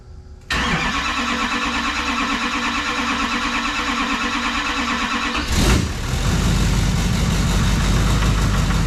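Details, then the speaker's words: Rebuilt Duramax diesel in a dually on first fire-up, with the CP3 pump reinstalled and the turbo not yet fitted: it catches right away and settles to a steady, even idle with no knocks or misses, and makes oil pressure. "all right so it starts sounds good makes oil pressure um yeah pretty pretty excited"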